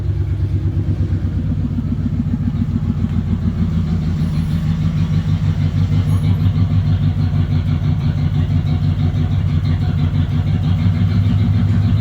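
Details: 1996 Ford F150 parked in a barn, where rodents chewed the injector wires: loud idle running a little off, uneven lumpy pulse about three beats a second; misfire, to be fixed by replacing the injector pigtails.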